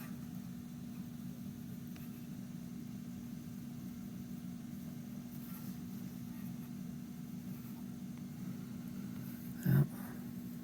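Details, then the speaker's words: Detrola 4-D tube radio at about 115 V after replacing three electrolytic capacitors, no antenna connected: steady low power-supply hum in the speaker with no station; it is alive, but more work is needed. "I'm now right at about 115 volts is what this thing calls for. Yeah. I'm at least getting hum."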